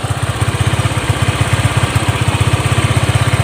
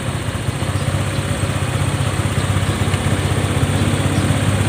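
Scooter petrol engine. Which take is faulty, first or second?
first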